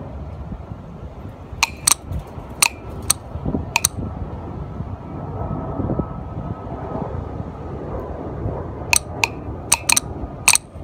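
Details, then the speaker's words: Hyundai Accent (2005-2011 Hyundai/Kia) with a P0496 EVAP code, EVAP vent solenoid tested with power applied: sharp, crisp clicks in small bunches as power is switched on and off. The valve switches cleanly and works. "all right so we got everything hooked up and just listen for the click [Music] so you guys can clearly hear the click"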